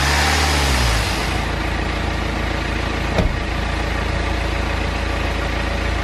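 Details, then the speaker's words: BMW N47 diesel engine after timing chain replacement and reinstallation; earlier no-start was a flat battery lacking amperage. Even diesel clatter settles after the first second into smooth idle, no knocks or misses; normal idle. "okay then so we finally managed to get these things started I'm so happy obviously we know the reason why wouldn't start in the first place it was a flat battery and just didn't have enough amperage"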